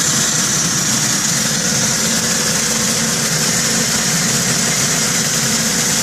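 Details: 2010 Ford Mustang V6 at cold idle after sitting many hours; bright fast metallic tick over the engine that fades as it warms and grows louder and faster with rpm, owner suspects lifters, unconfirmed.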